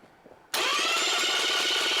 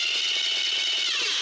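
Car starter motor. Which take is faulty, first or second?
second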